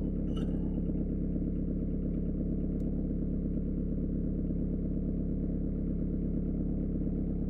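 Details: Peugeot/Citroën 1.9 D diesel with mechanical injection pump, after valve clearance adjustment: even, steady idle with regular low clatter and no knocks, misses or rough beats; the engine sounds healthy.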